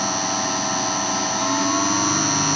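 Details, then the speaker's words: 1966 Hitachi three-phase lathe motor on VFD after rebuild with new NTN 6306 bearings and degreased coils: smooth steady hum with even high whine, no groan or rumble; much quieter, bearings still breaking in. "it's obviously a lot quieter i mean the bearing is still going to break in too and these are brand new bearings"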